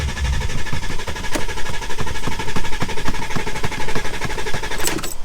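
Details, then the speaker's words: Volkswagen Touareg diesel with earlier limp mode and glow plug light issues: starter turns the engine over in a steady rapid chug about five beats a second but it never fires; crank no-start. "And just like that, the car just wouldn't start."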